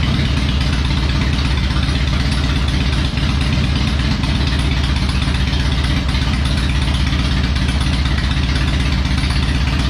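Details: Harley-Davidson Electra Glide, restarted after work on spark plugs backing out, running better: steady even loping V-twin idle with a firm low thump, no misses or rattles; normal idle.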